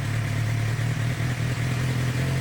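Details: 2006-2007 Suzuki GSX-R 600 four-cylinder, long left outside, after a sticky-throttle adjustment was fixed: a smooth, even low drone with a steady beat, no misses or clatter. A healthy idle.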